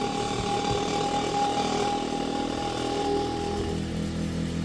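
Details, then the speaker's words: Vintage Kenmore electric fan with a newly wired rotary switch, starting up. Steady motor hum with a thin whine and some rattle that fades as it reaches speed and gets quieter; startup vibration noise. "Hey, it gets up to speed and it gets quiet."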